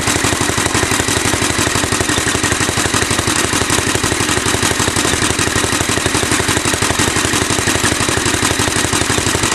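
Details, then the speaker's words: Antique Alpha De Laval engine driving a Century generator through a crossed toothed belt: steady rapid chugging with a faint whistle from the cogged belt, a bit smoky, speed not constant; owner thinks slackening belt tension will cut the whistle. "start it up and put some lights on it I you can kind of hear the whistling of the belts right now it's also a little Smokey I hope that'll clear up after you know some run"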